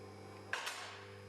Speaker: as you can hear the locks are clicking into position as the lift raises the locks will drop into position you'll be able to hear them clicking in this happens every few inches